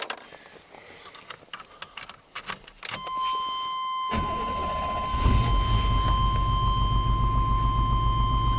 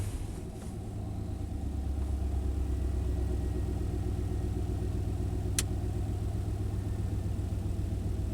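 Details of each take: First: 1991 Chevy K1500 V8 running during a compression-waveform test with a pressure transducer fitted in one cylinder (cranking compression about 185 psi, healthy). After a few seconds of cranking it catches and settles into an uneven, stumbling idle with a single-cylinder misfire. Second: '91 Chevy K1500 V8, idle near 850 rpm after a new oxygen sensor relocated downstream of aftermarket headers: deep steady rumble, even beat, good throttle response, still in fuel control; improved but slight staircase remains.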